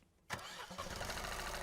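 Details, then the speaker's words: Fiat 500 two-cylinder TwinAir, cold start: rough, uneven lumpy running with a clear momentary misfire and severe vibration, strong half engine order (one disturbance every two revolutions) settling toward idle. "And you'll notice straight away there is a clear misfire there, but also E.5 engine order. Notice how high that is."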